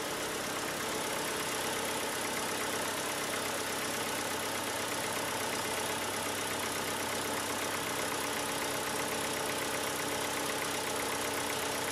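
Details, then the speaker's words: 2002 VW Jetta 1.8T at idle, overdue for a timing belt, after oil was added and the engine run: the clacking heard at startup is much quieter, leaving a light, fast tick of about four per second that is suspected to be the lifters. "it's a really much quieter now got a little plaque from the lifters"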